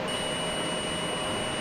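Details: Multimeter in buzzer mode with a needle pierced into a jhalar decorative light string near a bulb: a steady high-pitched beep holds for about one and a half seconds, showing that stretch conducts.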